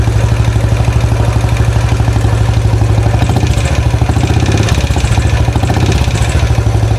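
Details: Rebuilt 2013 Royal Enfield Classic 500 on first run, after cycling through the gears: a steady idle with a loud, even top-end ticking about 75 per minute. The bike shakes more than before; the owner wonders about the rockers or pushrods, cause unconfirmed.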